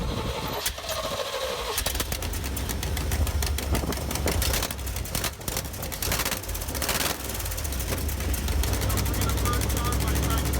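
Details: 1977 K10 truck with 350 small-block Chevy idling, sharp uneven ticking and puffing over low rumble; exhaust leak at header, gasket blown away at head, missing at collector, possible hole in header.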